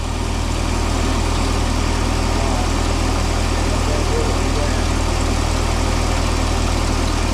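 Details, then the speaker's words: Mini forklift engine, propane-fuelled, radiator suspected of leaking coolant: fast, steady idle that never drops to a low tickover, idling really high; throttle cable binding. "it's idling really high. We're gonna have to work that out. Okay, this is where we're at. We're having throttle cable issues. We took the whole thing out because it was just binding."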